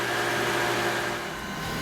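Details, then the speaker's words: Jandy pool setup with the variable-speed filter pump and the secondary cleaner booster pump both running; smooth even hum with a steady low note and faint whine, no knocking or grinding; quieter than the old equipment, normal running. "and now the secondary pump has kicked on, and this is probably about as loud as it gets unless I turn on the furnace, which can get a little bit louder, but still it's significantly more quiet than my old equipment."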